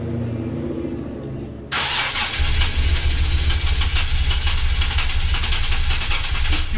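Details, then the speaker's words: Nissan 370Z six-cylinder after engine swap: fast, even cranking about four beats a second that almost catches but never starts, caused by an improperly installed flywheel. "so this is the sound it's going to make when you have your flywheel on improperly here it's right on the verge of wanting to start up and it just won't start"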